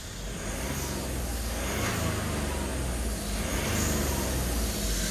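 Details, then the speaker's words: BMW 1 Series salvage car being rebuilt, freshly started and not fully warm, turbo intake not connected to the airbox: engine revs with a thin high whistle following revs; loud turbo whistle with open intake. "Sometimes if you rev it, you're really that turbo, because it's obviously it's not connected to the airbox and that, so you can really hear the turbo."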